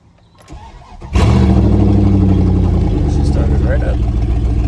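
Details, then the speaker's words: 1999 Dodge Dakota R/T 5.9 V8, parked, started right up; loud, raw, blatty idle rumble from exhaust leak, downpipes cut behind the headers, no muffler. "so she does have an exhaust leak so it's not an exhaust it doesn't have a muffler on it or anything like that uh right behind the headers"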